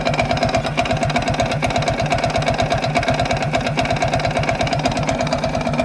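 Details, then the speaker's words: Viper Active moped engine after a 15 km highway ride: sharp, regular fast knocking over idle, uneven and clattery, now constant, previously rare at low revs; owner rules out chain tensioner, suspects detonation or carburetor problem; engine knock, unconfirmed. "Звук напоминает ээ как будто неправильный, как сказать по чуть-чуть газу, когда даёшь на холодную, например, и оно как детонация происходит или что-то такое, когда, ну, проблемы с карбюратором, можно так сказать."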